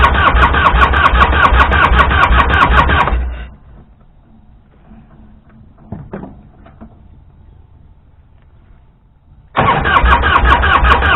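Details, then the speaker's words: 1998 Harley-Davidson EVO Fatboy, first start attempt after sitting about 5 years, with a new battery and switch: long steady cranking with no catch. It starts only on starting fluid, so it's a fuel delivery problem. "Well, obviously there's a fuel issue. She'll start up the starting fluid."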